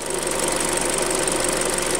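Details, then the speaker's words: Hyundai Creta, during an oil change: fast, even light ticking over a steady idle, louder than from the factory; owner attributes it to injector ticking and probably hydraulic lifters; engine clatter at idle, cause unconfirmed. "с завода мотор работал гораздо тише. То есть, вот цокот форсунок вот здесь, вот тут цокот форсунок. Ну а здесь, наверное, гидрики уже."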